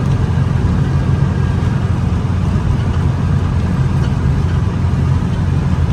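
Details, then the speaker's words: VW Beetle air-cooled 36 hp flat-four at operating temperature after a drive; steady, even low beat with no misses, knocks or ticks; smooth, normal idle. "man it this thing runs like a pickle seater is just fantastic it just super smooth as you can hear at idling just just great"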